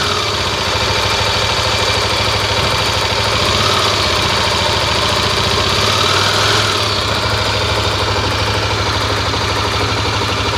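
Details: Tornado engine at hot idle: rough, uneven ticking pulse of about three per second riding on the engine; abnormal noise appearing when warm, source unclear.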